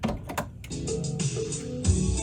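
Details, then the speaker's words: Aiwa Excelia XK-007 cassette deck, which plays only some tapes despite repeated service, relubrication and motor swaps, now playing a tape it handles. A couple of loading clunks, then steady clean music with no dropouts, dragging or pitch wobble; normal playback. "And yet, listen to that. No problems."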